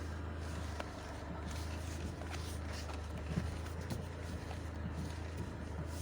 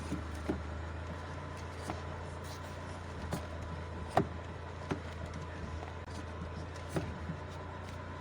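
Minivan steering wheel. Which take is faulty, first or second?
second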